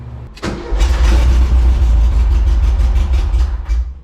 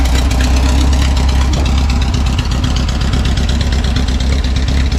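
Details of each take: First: 1974 VW Bus with non-original engine, after sitting 10+ years: short crank, then it fires into a deep, lumpy idle; no fuel pump hum heard, though it is getting fuel. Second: 1974 VW Bus that sat over 10 years, running a non-original engine (the bus was originally fuel injected), idling back on the road; deep, even air-cooled throb with no misfires or knocks. Normal idle.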